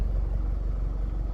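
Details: Audi/VW 2.0T TFSI engine (B8 A4/A5/A6/Q5), freshly rebuilt, revved outside after earlier ticking noise: deep even exhaust rumble with a clean quick blip, no ticks or clatter; exhaust butter smooth, engine healthy.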